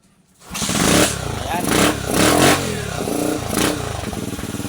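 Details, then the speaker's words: Euro 125 motorcycle small single-cylinder engine, CDI converted from 6-pin to 4-pin battery-operated type (old test CDI fitted): catches after a brief crank, revs up and settles cleanly; normal start and rev after conversion. "ayan mga kamotoday, umandar na yung motor, no. Ayan, dahil kinonvert natin sa battery operated o support na CDI."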